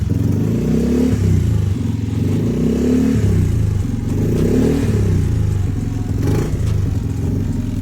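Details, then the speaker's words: Yamaha Mio Gear scooter after repairing rat-chewed wiring and clearing the error code; repeated clean throttle blips rising and falling smoothly with no hesitation, throttle response normal and improved. "Normal na ulit ang throttle response niya at mas gumanda pa at bumino ang tuno."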